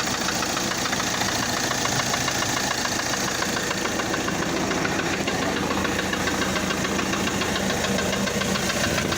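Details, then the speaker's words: Motorhome base vehicle engine at steady idle with a dull, fairly regular knock under two per second, located low in the block near the crankshaft; a knock that persists is not normal even before the engine warms up, indicating crankshaft-area engine knock. "muchos le van a decir no este ruido es un golpeteo Hasta que el motor levanta temperatura no es normal motor tiene que estar parejo en ruido tanto de inyección y más abajo en la parte del cigüeñal no debe hacer ningún tipo de ruido"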